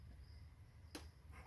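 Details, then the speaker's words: Honda XR650R turned slowly by hand during a valve adjustment, checking compression stroke by air flow: quiet cranking, then one sharp click as the cam rolls off the lobe. This is the normal valve spring snap, not a fault. "that click you heard right there is just the valves the the cam depresses the valves and the spring pressure is high enough where the cam once it gets passed pushing depressing the valve all the way it wants to roll over on that downward ramp of the cam"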